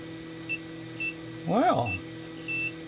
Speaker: that leg is still shorted okay that that's fun all right but why